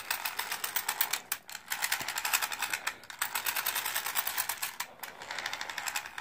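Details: Slash RC truck, front drivetrain: fast ticking and clicking over high-pitched gear whir with brief dropouts; owner suspects something rubbing but found no scuff marks; cause not confirmed.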